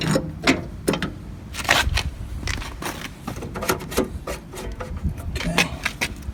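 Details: Swisher 60-inch trail mower with the blades engaged by lever-driven pulley off the engine drive shaft: the engine runs steady with deck rattle and grass clatter. A critter's nest is suspected under the housing and the belts are possibly in their last season, but it runs fine.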